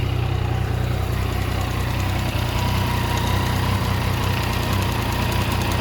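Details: Yamaha MT-09 at idle gives a deep, throbbing sound with an uneven pulse about two or three beats a second; cause of the abnormal sound unknown.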